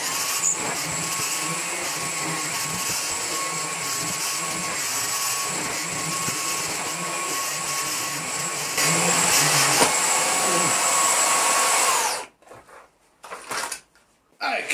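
Steady high whirring motor hum, even and smooth for twelve seconds before switching off; motor running normally.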